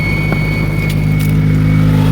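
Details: 2001 Honda CR-V, 25 years old, first start after redoing the water pump and timing-belt job, still low on coolant: smooth, even hum with a steady low tone and a slight rise. No knocks, squeals or misses; healthy running.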